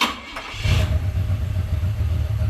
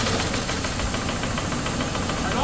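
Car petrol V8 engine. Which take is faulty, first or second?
second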